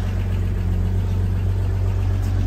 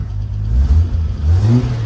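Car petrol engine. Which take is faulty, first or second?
second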